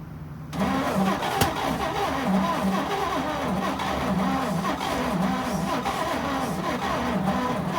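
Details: 1941 Chevy pickup, 40 years in a junkyard, seized piston freed, weak battery: rhythmic cranking, engine fires a few times but won't keep running; carburetor judged too gummed up to pass enough fuel.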